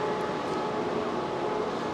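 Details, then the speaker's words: Tesla Model 3 LFP, heard from outside the car during a service-mode battery health test, rear motor buzzing: loud steady airy roar of cooling fans with a faint heat pump tone on top, no engine beat; fans and heat pump running hard. "you can hear those fans going crazy you can hear the heat pump going"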